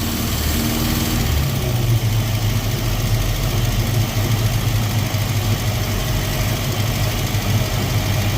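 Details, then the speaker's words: Datsun Roadster with EFI conversion, idle control valve test, trigger noise from distributor near spark plug wire: steady low engine hum drops from a high idle to a lower, even idle as idle control is adjusted toward normal. "so we're going to try to see where we can get it where it's idling so there there you go that's basic idle control right there"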